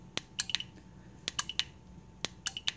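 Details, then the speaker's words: LockMaster KZB-13 control board on a DKL400UY/DKC400UY slide gate opener: crisp relay clicks in quick bursts when the newly programmed 4-button remote is pressed, showing the board responds normally. "if you notice if or if you hear it you're getting little clicking noises coming out of these relays right here"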